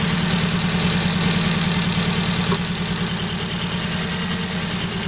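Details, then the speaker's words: Ford Focus petrol engine at idle, uneven and lumpy with a regular stumble; one cylinder misfiring, found by pulling HT leads one at a time, cause a faulty spark plug lead needing replacement. "We've got a Misfire now, piston on one cylinder. If we take one of these off, we can hear a difference."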